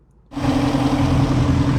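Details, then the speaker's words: 2019 Ford Mustang GT PP1, modded with a tune and cold air intake, idling: a thin squeaky-belt-like squeal heard when stopped at lights. Owner suspects the timing chain tensioner, but this is unconfirmed. "when you're driving and you stop at a light or something, you can hear it. It's like a squeaky belt."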